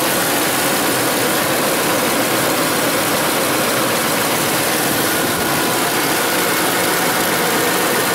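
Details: Ford F-150 after replacing the noisy pulley: steady, even idle with no chirp, squeal, growl or rattle from belts or pulleys; normal idle.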